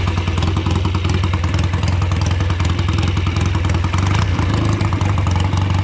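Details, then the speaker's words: Old BSA twin-cylinder chopper on short road ride in rain after fuel tank cleaning and fixes: rough uneven exhaust beat with one cylinder dropping out, still running poorly, never dies; owner suspects carburetors or ignition. "Everything I've done so far has made no difference. It's still running poorly."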